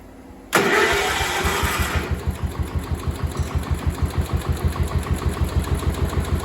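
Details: Cub Cadet 1250 hydrostatic, sat 20 years, after adding gas: catches at once, even single-cylinder putter about three beats a second, quiet, debris blown from exhaust, no smoke; healthy idle.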